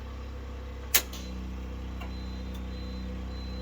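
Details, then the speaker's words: Portable generator powering a house through a new 30 amp inlet box and interlock, run on gasoline: breaker click, then the steady drone sags slightly in pitch and holds as the generator breaker takes the house load, a normal load response. "I'll turn this back over, turn the generator breaker on, listen to it bog down."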